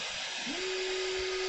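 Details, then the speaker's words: Dobot MOOZ-2 3D printer with its stock main cooling fan running before replacement with a Noctua fan; a steady, airy whoosh with a constant hum, loud over another printer running in the background. "so hopefully you can hear the fan and how loud that fan is over the sound of my mark - as printing in the background"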